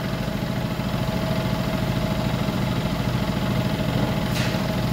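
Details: 2015 Mercedes-Benz S550 petrol at idle with check engine light and codes, still running rough after sensors were replaced: lumpy, uneven low pulse of a misfire; cause not yet diagnosed.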